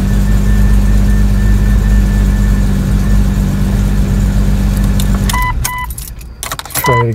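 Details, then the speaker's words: 1999 Jeep Cherokee after replacing a dead starter, which gave no click, with a new Mitsubishi starter, first start: engine runs smooth and even for about five seconds, then shuts off with a door chime. No grinding; normal running. "Oh, sounds good."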